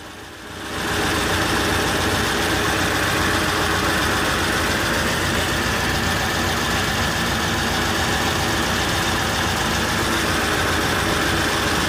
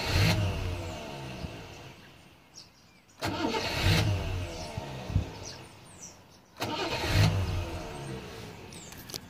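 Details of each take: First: Rover P6 V8 idling after starting despite dodgy starter wiring, oil and water checked: steady, even, unchanging idle beat, no knocks or misses; owner notices a smell; healthy idle. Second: Rover P6 with an intermittent delayed starter; the owner suspects shoddy wiring into the starter. Three bursts of cranking, each catching quickly into a rough idle after a brief hesitation: delayed starter engagement, cause not confirmed.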